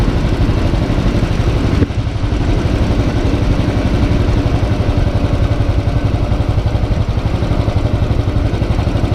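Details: Motorcycle with dealer-replaced engine (plus starter, throttle body, fuel injector), hot after a short ride: even steady single-cylinder thumps about four a second, quiet top end, no knocking or valve tick; normal hot idle after repair.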